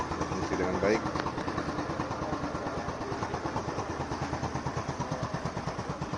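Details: Scooter fitted with a remote alarm/starter wired without a relay, started remotely without a key: brief cranking, then steady idle with a regular putter about three beats a second; a normal start.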